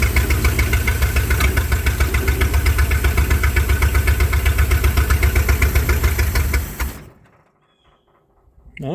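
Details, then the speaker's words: Mopar engine with an earlier no-spark problem, carburettor filled with gas through the vent tube: it fires and chugs at a steady pulse, runs poorly, and dies after about seven seconds. The owner suspects it isn't getting fuel. "right so it started it's not running the base but I wonder if I'm not getting fuel"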